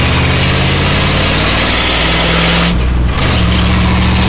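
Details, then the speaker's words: Ford F-250 with newly installed exhaust, under way: smooth steady drone with one brief tone shift, no rattles or leaks; much quieter than before, exhaust sounds sound. "that's what it sounds like it's uh nothing too fancy but it's certainly a lot quieter than it was"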